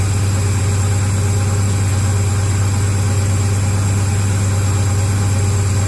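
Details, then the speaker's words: Turbo 6.0 LS-swapped second-gen S10 running with no exhaust fitted yet: loud, even, low-pitched unmuffled idle, running rich. "only got to do the exhaust I was like 85 yup that smells about right it's running pretty rich right now anyway gotta do the exhaust yet"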